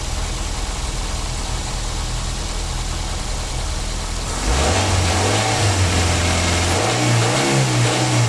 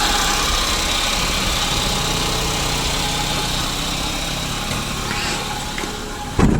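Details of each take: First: 2009 Daihatsu Gran Max: settled idle, then clean throttle blips rising and falling smoothly with no whine or rattle; sounds healthy. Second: 2009 Daihatsu Gran Max at idle, before repair: steady hum with faint high whine over an even idle, noisy droning engine; traced to a worn idler pulley bearing on the V-belt drive.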